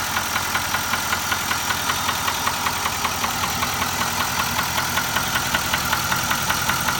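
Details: Nissan Titan XD at 13k miles, idling: a sharp, even ticking knock about 2.5 per second over a steady idle; engine knock, source not pinned down.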